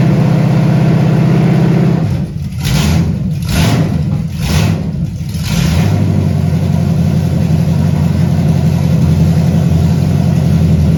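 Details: 1978 Camaro 383 stroker with Vortec heads, first start up: steady deep idle with quick throttle blips rising and settling cleanly, even firing, mild cam, not high compression; owner hopes around 325 hp, healthy.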